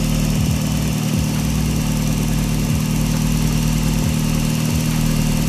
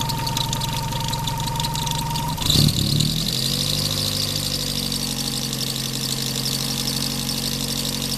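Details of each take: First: Daihatsu engine after replacing the alternator bearing and a bent belt pulley: steady, even idle drone with no whine or chatter from the front, alternator charging properly; normal idle. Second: Daihatsu engine at idle: steady whirring drone from rough alternator bearings; the belt had recently shredded; fixed by repairing the alternator bearing.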